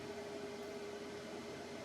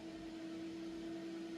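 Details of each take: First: PC CPU fully loaded by crypto mining: a quiet, even rushing hiss from the cooling fan spun up hard with no rhythm, the cooler working flat out. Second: PC running about 1,000 CPU miner instances with fan quiet mode turned off: steady, even whoosh and constant mid-pitched hum, no rattles or wobble; cooling fan spinning fast under load, normal.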